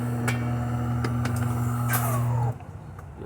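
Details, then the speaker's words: Refurbished DeLonghi Magnifica XS espresso machine after grinder and water pump replacement and full service, brewing one shot: steady even low motor hum, no knocks or grinding, stopping cleanly after about 2.5 s; well-lubricated brew unit transmission running normally. "also can hear the transmission moving very well lubricated"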